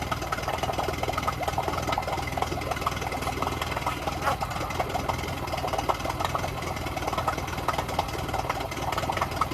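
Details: Yamaha 9.9hp four-stroke outboard running in a test tank, nearly cut out when choke pushed in, choke pulled back out: rough, patchy idle; runs only on choke, fuel starvation, primer bulb won't decompress.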